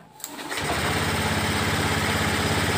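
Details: Honda Beat ESP/POP fuel-injected scooter, after fixing a faulty fuse-box connector and broken wires that caused total electrical failure and no ignition; short starter whirr, catches within half a second, then an even, steady idle.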